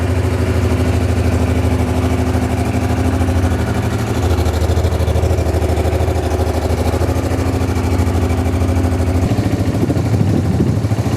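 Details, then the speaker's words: Honda XRV750 Africa Twin just revived after 10 years stored, running on reserve fuel after corroded fuel-pump fuse; steady, even low idle about three beats a second, no knocks or misses; twin running cleanly. "Oh my God, I can't believe I got it to work. It sounds pretty darn good."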